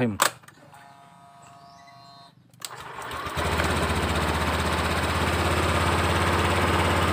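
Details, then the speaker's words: Honda Beat Deluxe fuel-injected scooter started after injector refit; soft, slow, even putter about three beats a second, throttle idle setting judged still too low; idle speed set too low. "Bismillahirahmanirrahim untuk setelan gas ini Kayaknya masih terlalu kecil ini"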